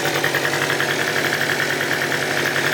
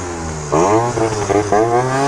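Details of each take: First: Piaggio Typhoon two-stroke scooter after carburetor upgrade and retune, first fire-up: steady, even idle with fine buzzy patter, no misses or surging, though idle was noted as extremely low. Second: Piaggio Typhoon two-stroke scooter after a carburetor upgrade and leaned-out idle, climbing a hill: revs climb, then sag and stutter under load and never clear. It is running rich; owner suggests lighter rollers and a stiffer contra spring.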